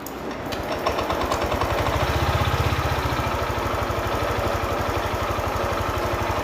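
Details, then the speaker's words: Honda Click 125i after water pump replacement and fresh oil and coolant; idled poorly and stalled until values were reset. Now a steady, even idle with a quick, regular low putter; the audible noise is a clutch bell bearing, judged harmless. "นี่คือปกติแล้วนะครับส่วนที่ดังคือดังในลูกปืนชามคลาสนะครับก็ไม่เป็นไรครับ"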